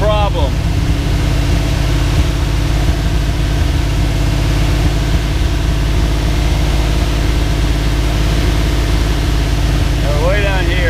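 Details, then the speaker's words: Twin-turbo Microsquirt 1976 Pontiac Trans Am V8 holding a fast, steady idle, lately around 2000 rpm. Computer showed 43° advance, reset to 20°; balancer reads 18°, nearly in sync, yet it still idles too high. Cause not found. "So, uh, we still need to figure out why it's idling so high."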